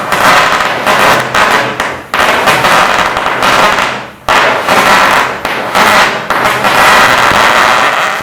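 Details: Powercraft Harris Innova cutting attachment with built-in tip mixer, tested for flashback by touching the tip to metal: loud, sharp pops and crackling bursts with no sustained flashback hiss. The torch resists flashback.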